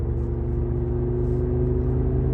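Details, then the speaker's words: 2008 Audi S8 (D3) on new Conti tires, about 200 miles on them, driving: loud steady low drone and rumble in the cabin from the front, rear silent; sounds like a worn front right wheel bearing. "The back is silent. Now listen to this. Sounds like we got a front right wheel bearing going out."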